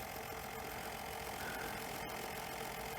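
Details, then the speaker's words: Fisher CR-W35T double cassette deck drive motor running: a harsh, steady scraping whir with an uneven rapid rattle. The motor pulley was catching the grounding wire; the deck likely needs a complete strip-down and service. "I'm actually at risk of losing the will to live with this deck. I think this will need a complete strip down as well, and a service. It was catching the grounding wire, so that'"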